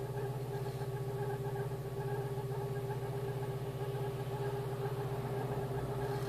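Even, steady idle with a smooth low pulse and no misses or stumbles; the engine is running cleanly.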